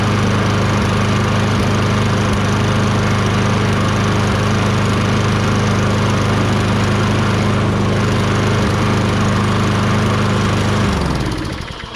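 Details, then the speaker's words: Toro Recycler 22" self-propelled mower, Tecumseh 6.5HP engine, after carb cleaning with a tiny, possibly clogged jet cleared using a thin wire bristle: steady, even drone without hunting for about eleven seconds, then clean shutdown, running much better. "Okay, runs much better now."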